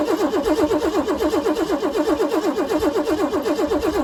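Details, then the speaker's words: 1988 Ford Bronco II cranking on starting fluid: an even, quick starter rhythm but it never catches; it had stalled and wouldn't restart, no fuel pump whir heard at key-on, owner suspects a dead fuel pump; cranks but won't start. "So something's not right here. I think I have to take a closer look, see if the fuel pump is getting anything going."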